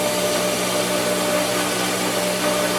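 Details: Pool pump after first start of the season, which takes about 2.5 minutes to prime: a steady motor hum with a faint water rush, even and unbroken, showing the pump has primed and is drawing water normally.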